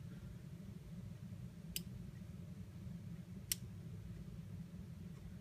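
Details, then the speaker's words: Universal Timer programmed to drive a relay (timer output to relay, grounds tied), cycling with a five-second wait: two sharp, crisp relay clicks about two seconds apart over a faint low hum, pulling in and dropping out cleanly; normal relay cycling. "so we already programmed it to do this you'll hear the click click and then it will wait for five seconds and"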